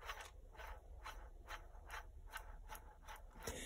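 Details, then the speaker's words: Saito FA-170 R3 four-stroke model engine crankcase bearing spun by hand during disassembly gives gritty, rasping ratchet bursts about twice a second: rough, worn bearing needing replacement. "should not be making that noise so bearings definitely to be changed"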